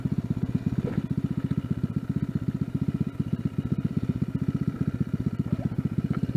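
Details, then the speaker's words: Riding the four-stroke motorized bike: a quick, choppy rattle of about four clatters a second rides over the small engine; the rear rack is rattling loose, with bolts falling out. "the mark iv is falling apart i could hear this thing rattling yet another bolts falling"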